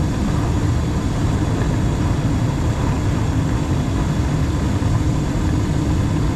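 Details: Gas furnace in a house that had no heat on a cold morning, running after the gas was turned on and the pilot lit, before a carbon monoxide check. Steady, even low roar of burners and blower with no rattles, surging or clicking: normal operation.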